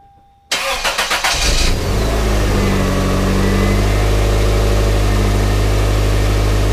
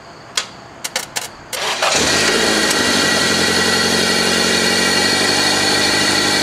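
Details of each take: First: 1997 Toyota Corolla after starter repair and seal replacement: brief starter whir, quick catch, then smooth even idle; normal start and idle. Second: 1997 Toyota Corolla with a failed starter (worn plunger and contacts) that only clicked: a few sharp clicks, short crank via jumper wire from battery to starter, then it catches and settles into a steady idle. Normal start.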